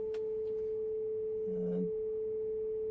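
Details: Advance P1 RF signal generator set to 100 MHz FM, heard on a radio via a wire antenna: clean steady pure tone of roughly 400 Hz without warble or buzz; the generator modulates properly.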